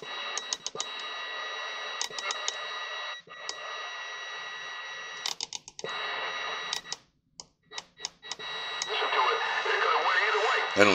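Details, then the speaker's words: Uniden 66GTL AM 40-channel mobile CB, left in a barn about 20 years, cleaned, receive amp off: hiss breaking up with crackles, pops and dropouts; noisy reception, owner says it needs more cleaning. "i'm sorry you can hear it it needs still more cleaning"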